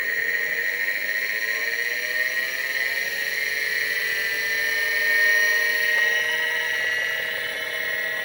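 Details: Vintage 5.25" Seagate ST-225 MFM hard drive on an XT clone test setup, run before a control board swap. A soft whir climbs smoothly in pitch as the platters reach speed, then settles. This is a normal spin-up, and the computer then boots off the drive.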